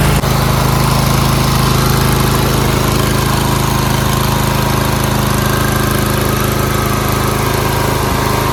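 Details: Briggs V-twin after new pushrods, head gaskets, cylinder head and a new carburetor, plus a fixed split fuel line and a replaced bowl screw: an even beat of about three pulses a second, steady with no misses or knocks; it runs properly.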